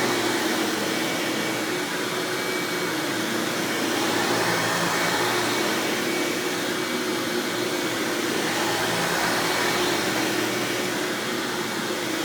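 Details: 1997 Hoover Dirt Finder Power Drive self-propelled upright vacuum, model U6331-930 (Elite style): steady, even motor roar with no surging, rattles or squeal; runs exceptionally smooth and fairly quiet; normal running.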